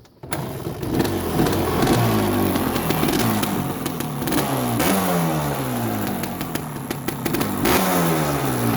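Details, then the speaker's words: Suzuki LT250 Quadracer two-stroke quad that sat outside for years at a hunting camp, after brake work, started while warm from an earlier run: a crisp two-stroke rattle whose revs climb and drop cleanly with repeated blips; it runs again. "good news it does run I will start it up here in a second I just had it running so it should fire up pretty easy"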